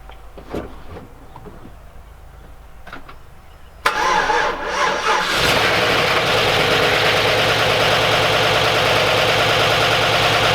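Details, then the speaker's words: Chevrolet Silverado Z71 just after top-end rebuild (collapsed lifter, DOD delete), first start with no coolant: cranks, catches, then a fast even lifter tapping over idle because the new lifters have not yet filled with oil; expected. "So, there's a lot of lifter chatter, but I expected that with it being brand new, the whole top end and everything."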